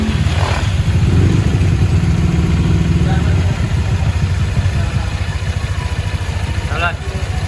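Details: Honda Vario 150 scooter after CVT service and an ECU scan showing all sensors okay: steady low putter at a quick, even idle pace with no knocks or rattles; engine sounds healthy, normal idle.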